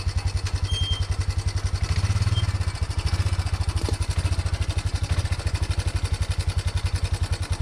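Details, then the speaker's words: 1987 Yamaha Big Bear 350 4x4 after coil, plug, stator and CDI replacement and valve adjustment, driving under own power: steady low even thumping with no clunks or grinding; shifts through high, low and reverse fine, though slightly tight. "so we're driving under our own power here that was uh high gear first in high gear and then reverse and then forward and low and reverse and then back forward and high so it's shifting through high low and reverse fine"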